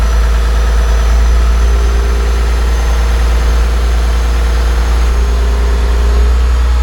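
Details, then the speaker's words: John Deere 850J dozer diesel after second rebuild, run outside: deep, steady rumble with even beat, no knocks, rattles or hunting; no leaks, all normal. "let her run out there for a little while seems all good no uh leaks no big noises sounds and looks all normal"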